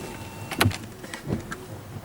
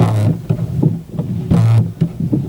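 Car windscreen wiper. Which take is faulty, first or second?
second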